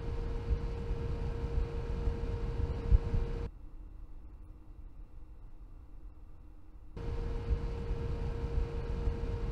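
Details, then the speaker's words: Tunçmatik Digitech ECO 2000 VA UPS with a cheap stock fan: loud rushing fan with steady mid-pitched whine switching on and off, far louder than the computer, before replacement with a Noctua fan. "O kadar çok gürültü yapıyor ki güç kaynağı bilgisayarın sesinden kat be kat daha fazla gürültü çıkartıyor"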